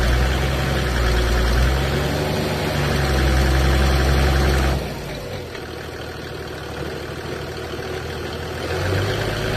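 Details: Toyota 1HD-T diesel, warm (after 2+ minutes driving, not stone cold), jacked up in gear at 1400-1600 rpm with brake load; deep drone with steady metallic knock, 3-4 per second. New big end bearing, loose tappets, even 480 psi compression, bores okay; pump/injectors being rebuilt.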